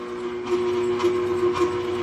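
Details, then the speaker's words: Air compressor on an off-grid solar battery-bank inverter: steady hum with the inverter beeping about twice a second as the compressor stalls on start-up surge; inverter overload, compressor fails to start, needs a 3000 W/6000 W surge inverter. "start it up but it didn't it can able to go with it the inverter was beeping over there"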